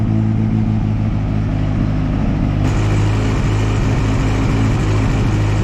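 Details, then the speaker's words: 1964 Jeep CJ5 barn find, formerly locked-up engine, freshly revived: steady, even low idle with constant beat, no misses, knocks or ticks; still smoky, expected to clear with running. "you guys hear how smooth this thing's actually running this is unbelievable from being being a locked up hunk of scrap IR to running that smooth that quickly is impressive"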